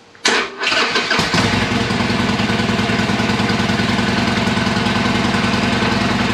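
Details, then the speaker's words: Harley-Davidson Iron 1200 after dead battery (switch left in accessory) put on the charger; short crank, the V-twin fires at once and drops into an even, loping idle. Normal start and idle. "okay so i'm gonna see if it'll start [Music] if i got it out of gear or not let me see appears to be that sounded much better"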